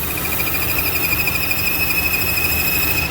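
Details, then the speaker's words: 2015 Chevy Cruze, check engine light, rough hunting idle: thin steady whistle from PCV valve on valve cover sucking unmetered air past MAP sensor, engine running lean, high fuel trims; PCV vacuum leak, fixed by new GM valve cover. "sucking air so it's causing basically unaccounted air to be drawn into the engine's intake that's not seen by the map sensor"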